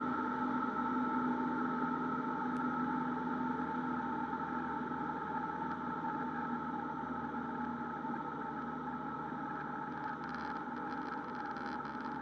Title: Stalling a Cessna 172rg #172rg #cessna #aviation